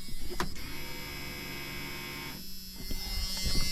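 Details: Junkyard Chevy S10 left sitting, battery just hooked up, key on: steady low electric hum under a door buzzer; the fuel pump is priming normally.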